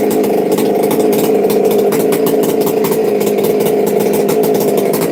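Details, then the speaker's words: Chainsaw in saw shop, run briefly because it smokes: high, steady buzzing whine holding even speed without sputter or surging; runs cleanly and strongly. "I won't run it long because it'll smoke us out of here, but it runs pretty dang spiffy."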